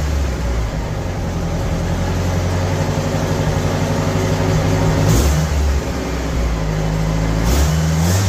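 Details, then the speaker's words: 1975 MGB four-cylinder project car, now firing on all four cylinders: even beat rising and falling smoothly with each throttle blip, no missing; runs much better than before. "so it runs a lot better when it's firing on all four cylinders"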